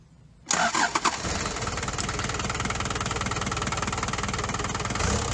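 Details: Daihatsu Fourtrak turbo pickup first start after engine swap following a blown head gasket, new clutch fitted: brief crank, then it catches cleanly and settles into an even, steady run with no knocks or misses; healthy running.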